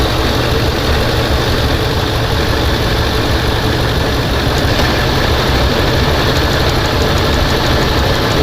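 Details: 2004 Ford F250 5.4L V8 idling with a low, slightly uneven rumble from a dead cylinder 6, code P0306; a weak ignition coil was found, and after replacing it the misfire was gone.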